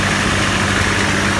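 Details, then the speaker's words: GAZelle with ZMZ-405 engine, cold idle; new HT leads, plugs, coils, starter and sump; busy clattering knock over a steady hum, cause unknown, owner considering overhaul; cold engine knock. "Да, и мы хотим выяснить причину, почему двигатель на холодный вот так стучит, шумит и издает какие-то непонятные звуки."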